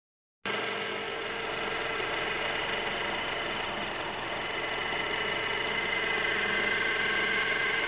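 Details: 2011 Honda CR-V at cold idle shortly after starting, also when stopped with the AC on: a steady idle carrying a fast, light clatter, about three to four beats a second, over a hissy background; source not identified.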